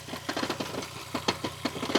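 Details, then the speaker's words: VW Golf Mk4 V5 five-cylinder, 353,000 km, oil sump recently replaced; uneven metallic clatter about six knocks a second over lumpy idle; flywheel makes a horrendous noise, needs fixing soon, new flywheel and clutch on order. "However, there is still the issue with the flywheel, which makes a horrendous noise"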